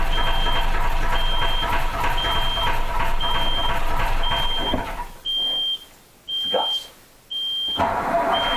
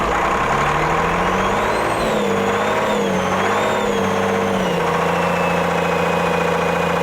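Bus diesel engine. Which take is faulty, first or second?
first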